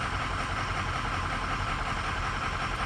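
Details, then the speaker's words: 2007 Ford E350 6.0L diesel that runs, stumbles, stalls and struggles to restart: idle with an uneven, stumbling beat of two to three pulses a second as cylinders 1-4 and 6 misfire, then it dies; cause not yet confirmed. "cylinder misfires for negative cylinders one two three and four up there those six and she is down for the count"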